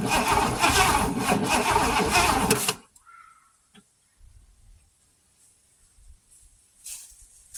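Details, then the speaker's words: Oldsmobile Toronado that has been sitting, cranked with fuel line disconnected and no fuel yet; uneven lopsided gallop about three beats a second, owner suspects an underpowered cylinder. "Alright, so you guys heard that? That's the gallop that I was concerned about. There's no fuel in here just yet."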